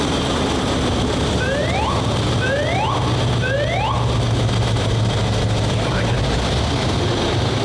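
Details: WWII tank radial petrol engine, turned over 55 turns by hand first, started on both magnetos with starter and booster coil: catches and settles into a steady low drone with a few rising whines over it; healthy start and strong running.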